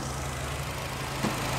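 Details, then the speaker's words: 2012 Fiat Punto 1.6 16V E-torQ that misfired and would not start, running after throttle body removal and cleaning: quiet, even low idle hum with no stumbles; engine idles smoothly. "o motor em funcionamento já sonda o por borboleta lá limpinho"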